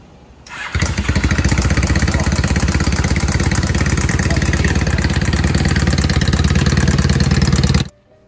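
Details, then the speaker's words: Honda CBR 450SR café racer idling with harsh clattering knock every beat; mechanic suspects loose piston pin clip hitting cylinder or broken cam chain tensioner; bike also had leak and sixth gear not engaging. Cause suspected, not confirmed. "barulho aqui é como se fosse a trava do Pino do pistão soltou e ela fica batendo na camisa né você já pode comando também assim tensor da corrente comando que tinha quebrado também faz um barulho parecido"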